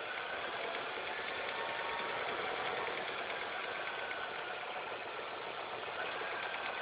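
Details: Engine idling after all belts, the timing belt and the tensioner were replaced: fast, busy high-pitched ticking chatter over a steady idle, an abnormal noise whose source is still unclear.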